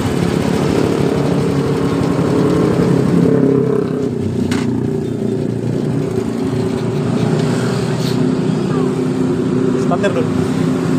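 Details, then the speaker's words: Honda Supra motorcycle after refitting and oil-priming the cam chain tensioner: steady even idle with smooth low beat, cam chain ticking gone; normal idle after repair. "kita hidupkan kembali jadi suara dari rantai kecilnya tadi sudah tidak ada ya teman-teman"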